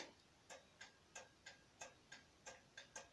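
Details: Renault N72 tractor with dynamo instead of alternator: light, sharp clicks about three per second in a steady on-off rhythm over quiet background as the indicators are switched on; flasher relay working normally.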